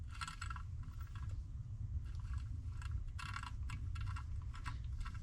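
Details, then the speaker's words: Failed Mustang Coyote alternator removed after self-destructing, pulley spun by hand: gritty, uneven crunching bursts with a dry rasp; the alternator bearing is finished. "You can just hear the crunchiness. Oh my god. Yeah. That one's just done for."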